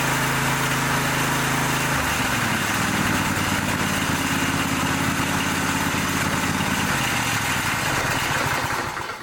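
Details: Small twin-cylinder engine, first run after replacing a cylinder head damaged by a mouse nest: runs steady and even at a brisk idle with both cylinders firing. Light tinny rattle from loose muffler baffles; some smoke from leaked oil burning off.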